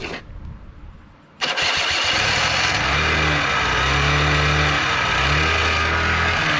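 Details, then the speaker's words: Small engine machine, sat since at least last fall, on ethanol-free gas, after swapping starter and Bendix gears that weren't meshing: starter whir, a couple of brief firing bursts, never settles to idle; carb not getting fuel. "well fix the starting problem now we just got a carb not getting fuel problem so go ahead and work on that next"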